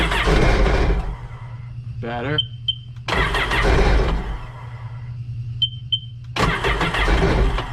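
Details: Three cranking bursts with quiet gaps, never settling into a run. This is hard starting on stale fuel in a 2006 Sea-Doo Sportster that sat about two years; the old tank of gas is to be drained.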